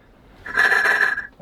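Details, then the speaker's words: Sailboat's port engine, valve cover off, injector removed, no water in cylinders: cranking gives a soft whistling hiss rising and falling as air is forced out and sucked back through the open injector port, shifting cylinder with crank position and waves. "that's coming out of this cylinder and it'll it'll change uh depending on when I crank the engine it'll come out of a different cylinder and it's going like up and down with the waves"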